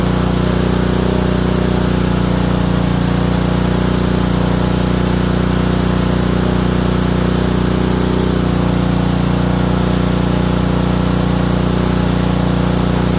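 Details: Honda small engine, probably a water pump, after ignition coil install; steady run with hard regular knock about three beats a second. Owner suspects bottom end, unconfirmed.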